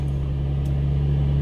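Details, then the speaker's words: 2003 Infiniti G35 after replacing failed passenger-side (bank 1) camshaft position sensor and clearing codes: starts quickly instead of long cranking, short steady low hum with even idle, no misses or ticking; running smoothly. "The car starts up nice and quick, and"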